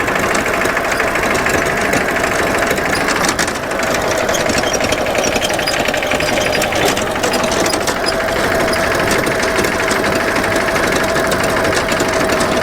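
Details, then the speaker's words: Dennis Premier diesel mower after gearbox rebuild with the original output gear refitted, drive engaged at light load on level ground: steady diesel beat with only a faint light whine, loud gearbox howl gone; may return later. "well first signs are very promising that very loud howl has gone away now i don't know if it's going to come back after a few minutes of use"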